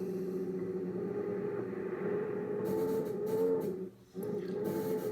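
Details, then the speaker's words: Ten-Tec Paragon 2 receiver in AM mode on 10 MHz WWV, after a poorly grounded lead on the AM/FM board was fixed: a wavering mid-pitched tone rides over the receiver noise; synthesizer noise persists, cause unconfirmed. "Anyway, the symptoms of this are I can get on WWV here on 10 megacycles, and I can go to AM mode, which I am, and I'm still hearing synthesizer noise."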